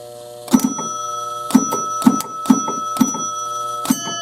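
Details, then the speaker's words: 1968 Chicago Coin Gunsmoke pinball machine under repair, rollover hit to step scoring through five positions: bell strikes and relay clicks in quick clusters about once a second; scoring unit now advances and awards 10 points properly after fix. "we get 10 points. Alright, so we fixed it. Very cool. We fixed something that we didn't even know was broke."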